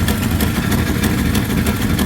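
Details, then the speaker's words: 360 Magnum V8 just installed in a Coronet, first start, not yet warmed up, idling fast near 2000 rpm: lumpy idle with sharp puffing ticks; exhaust leaks around the headers, belt also squealing. "we still got exhaust leaks and stuff going on around the headers"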